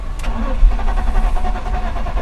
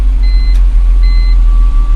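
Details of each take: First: BMW E46 cranks steadily and evenly for a few seconds without catching or firing; starts only on carburetor cleaner then dies. Power confirmed reaching the pump, pointing to a failed fuel pump needing replacement. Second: BMW E46 323 after fuel pump replacement, following earlier head gasket work; it catches at once and settles into a steady low idle under dash chimes. Starts right up; normal start.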